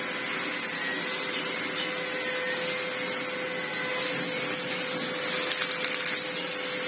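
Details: Red Sebo C2 Total upright vacuum on max, reassembled after its lack-of-airflow problem was cleared: steady high airy roar, constant motor tone, no rattles or surging; turbo head spins fine, cleans well, normal running.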